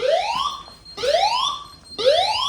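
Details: New house fire alarm system triggered by smoke test, heard outside: a loud rising whoop sweeping up about once a second with the voice message "Evacuate the building using the nearest fire exit"; the evacuation sounder works.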